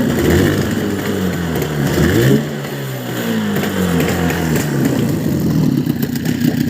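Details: Boat outboard motor revving up and back down after cleaning and swapping a worn plate, with the carburetor roughly tuned; pitch follows the throttle smoothly with no sneezing or hesitation, normal running.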